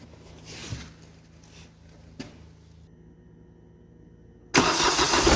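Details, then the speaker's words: Smart Fortwo 450 CDI 0.8 l diesel, first start after turbo cartridge replacement with three turns of preload: quiet fiddling, then fires at once and settles to a steady idle, no turbo screech or grinding; turbo spinning, oil pressure up, healthy. "Yeah, turbo is spinning. Turbo is spinning. It's got oil pressure by now. So that's good to see."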